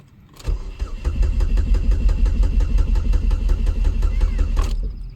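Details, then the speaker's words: Opel Astra G SRi, Z22SE engine, runs poor, loses power, bad idle then dies; owner suspected crank sensor: cranks, runs lumpy and uneven about four seconds then cuts out. "chucked in the car cranked she just started real rough and then shut down"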